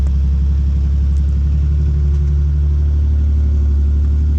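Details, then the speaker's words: Salvage-title wrecked Ford Mustang V6, possibly custom exhaust, started after a jump: deep, even rumble with steady low beat, no knocks or rattles, sounding almost like a V8; normal healthy idle. "I'd say sounds pretty good for a v6 kinda sounds like a v8 could kind of feel slightly rumble in my chest pretty good"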